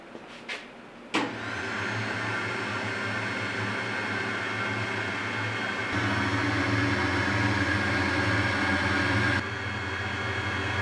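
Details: Cheap electric supercharger on bench through S-shaped tube simulating a manifold: after a click, steady motor whine with airy rush holds even; blower spins but moves very little air.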